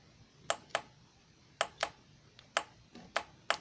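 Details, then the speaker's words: Transmission shift solenoid from a 2006 Jeep Grand Cherokee Laredo 3.7L bench-tested with jumper-box power, reading 3.3 ohms: sharp distinct clicks in quick pairs each time power is applied; solenoid opening and closing properly. "let's see the sparking that click is my solenoid open and closing okay"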